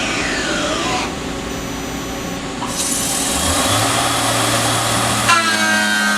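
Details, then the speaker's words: Tormach 770M+ CNC face milling with a shell mill on a 1/2-inch TTS arbor at 200 inches per minute feed: steady cutting roar with a hum that sags; the spindle is loading up, so feed was cut to 85 and step-down doubled. "Alright, that sounded pretty good, but you could hear the spindle loading up a little bit."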